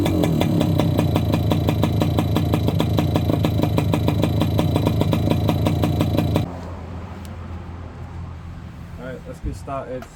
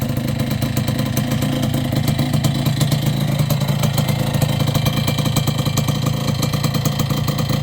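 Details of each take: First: Yamaha YB100 two-stroke on its old standard exhaust, rusted through with no baffle, before replacement: a harsh, raspy bark on quick blips for six seconds, far too loud and open. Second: Yamaha YB100 two-stroke idling after an exhaust replacement: crisp, fast, even popping with no rattles or misfires; a healthy idle.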